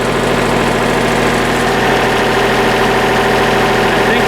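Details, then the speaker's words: Hydraulic lift after repair; a wedged stone had crushed parts. Raised and lowered under test, it gives a steady, even drone with no knocks, grinding or surging: normal hydraulic lift operation. "we're good now though. Lovely. Fixed."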